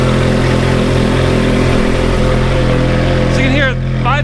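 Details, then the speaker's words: Ferrari F430 with good exhaust headers, at idle: steady, even, deep smooth exhaust note with faint light valve ticking underneath. Normal idle. "exhaust headers, there's not really much noise. It's pretty quiet. You can hear a little bit of valve train noise, but that's about it."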